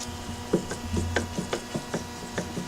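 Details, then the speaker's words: Gen2 Mazdaspeed3 Whiteline adjustable sway bar end link worked by hand: dull knocks in uneven bursts about three a second; clunk over small bumps suspected from a loose end link, ball joints looked fine; owner plans to tighten the nuts or adjust. "But clunks that I'm hearing are actually coming from this Whiteline adjustable sway bar and link."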